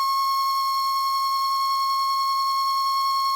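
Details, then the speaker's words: 1966 Addams Family "Thing" coin bank on two U11 (C-cell) batteries, not grabbing coins: the small motor gives a steady, piercing high whine at one pitch for about three seconds, then cuts off; cause unknown. "It's still making a funny noise, isn't it? Why is it making that noise? Doesn't sound great, does it?"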